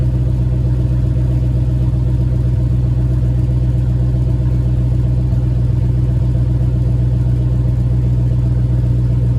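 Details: Engine with JBA shorty headers and stock exhaust, cold idle after an exhaust leak was fixed. Steady, even low idle rumble, no puffing or ticking in the beat: normal cold idle with sealed exhaust.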